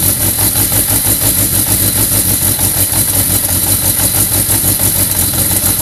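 Motorcycle ticking over with a lumpy, irregular beat around three pulses a second instead of an even patter; a rough idle.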